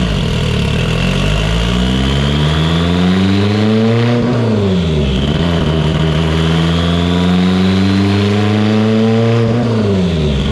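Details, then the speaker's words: Evo 8 built 2.0 turbo (GTX3584RS, Haltech Elite 2500, GTR coils, dwell set to spec) on dyno after a ~21-22 psi base run, leaned slightly with boost raised: pulls hard, then stutters and drops out near the top twice; severe ignition breakup, plug regap planned. "So on this run, I just leaned it out just slightly and increased the boost a little bit. And I'm getting severe breakup."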